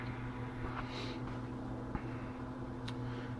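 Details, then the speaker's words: Indiana Jones and the Temple of Doom arcade machine powered up and warming after the AR-III board was reinstalled: steady, constant-pitch buzz of the cooling fan for the heat sink and 2N3055 transistors, running normally. "let it warm up you can hear that fan buzzing it needs that fan cuz those that heat sink and those t uh 2N 3055s those things get hot"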